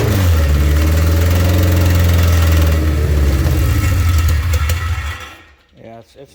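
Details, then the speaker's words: Honda K24-A2 swapped into a Toyota MR2, first start attempts: engine catches and runs with a deep, even drone for a few seconds, then dies; it only runs with brake clean sprayed into the intake. Owner suspects fuel supply, possibly the fuel pump. Finding: stalls without starting fluid. "wanting to run not wanting to run unless i spray brake clean into it but it does run"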